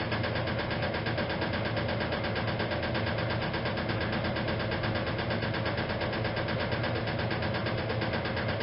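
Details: 1956 Whirlpool Imperial automatic washer, restored, in spin: steady hum with a loose, uneven knock once or twice a second; the rear motor access plate was never refitted properly and rattles, not the drive, harmless.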